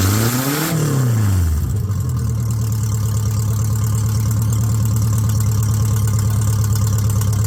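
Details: Car started with jury-rigged wiring on a jump pack, new extractors (headers) just fitted; catches and settles into steady even idle, deep smooth exhaust, no knocks or misses; normal idle.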